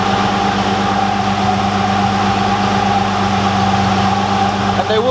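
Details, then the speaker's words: Nissan R33 RB25 after auxiliary belt replacement and retightening the alternator belt: smooth, even idle with a steady low drone and no belt squeal; normal idle. "temp number 2 starting just tightened up the alternator belt again much better"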